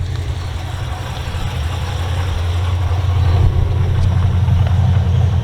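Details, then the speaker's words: Holden/HSV VF GTS V8 supercharged (LSA) at idle: low uneven rumble with a loose rattling knock from the worn spring-loaded isolator coupling inside the blower, which needs replacing with a solid coupling. "hear that noise that sounds like a rattle sort of a knocking noise that's actually the isolator coupling inside the blower that actually needs to be changed out"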